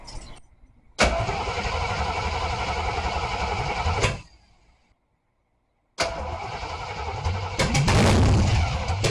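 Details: AMC 360 5.9L V8 swap in 1976 AMC Gremlin, fresh engine break-in run: fires up, steady even rumble for a few seconds, cuts out, restarts and holds; temperature and oil pressure monitored, break-in went well. Normal running.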